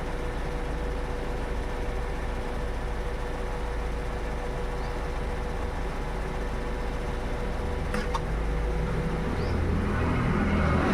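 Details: Toyota Innova Hycross: a steady running hum, then one sharp, pronounced double tock about eight seconds in, heard every time the AC compressor comes on. The cause is unknown, and the owner is asking for ideas.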